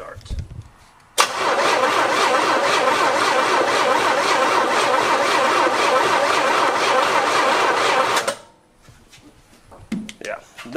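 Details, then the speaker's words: 1972 Cutlass S stored 33 years, freshly freed seized engine cranking without plugs in: steady, laboured cranking about three turns a second as the tight engine drags the starter. Hoped to free up after heat cycles. "i want to see how fast it's spinning what i'm worried about is by the time we get plugs in it it'll be uh too slow to"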